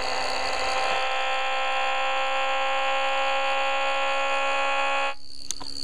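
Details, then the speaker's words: Homemade pulse motor rotor with reed switch, LED and coil wound on a sewing machine bobbin; steady, even high-pitched whine holding constant pitch for five seconds before cutting off; rotor spinning smoothly. "I don't know if you can hear it without the radio but it's just whining"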